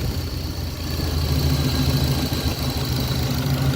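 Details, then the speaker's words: 1966 Pontiac Catalina Wagon V8 with IAC troubles, throttle blade set two half turns open: even slightly fast burble holding steady about 800 rpm, still too high; needs more bypass air to reach idle setting. "So, okay, I'm still at 800, so I'm still too high. So we want to let it bypass more air."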